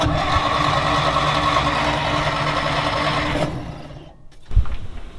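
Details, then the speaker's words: 1940s Dodge army truck turned fire truck, sat about 30 years: starter cranks steadily, engine only sputters and won't start despite spark confirmed at the points and the accelerator pump squirting fuel; owner suspects timing or a clogged exhaust. "So the most I've been able to get is sputter. I can hear the carburetor injecting fluid. So in my mind, if the fluid's good and you're getting spark, it should run."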